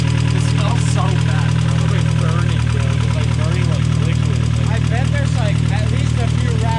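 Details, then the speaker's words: Cheap 1.8L Mazda Miata, possibly cammed, cold first start after sitting in a field, smoking with water from tailpipe: lumpy, loping idle with heavy low rumble; owner thinks it runs on only two cylinders. "i think he's only running off on like two cylinders right now"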